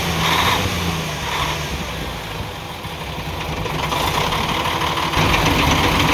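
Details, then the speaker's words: UD CK450 truck, Nissan PF6 six-cylinder diesel that misfired, lost power and stalled under load. Lumpy idle with a regular stumble in the firing; injection pump plunger No. 5 delivers no fuel, so one of six cylinders is dead. "तो जब 5 number plunger की तरफ से डीज़ल नहीं आएगा तो आप समझ जाएं जो ये 6 सिलेंडर इंजन है, 6 सिलेंडर में से एक सिलेंडर काम नहीं कर रहा, 5 सिलेंडर काम कर रहे हैं।"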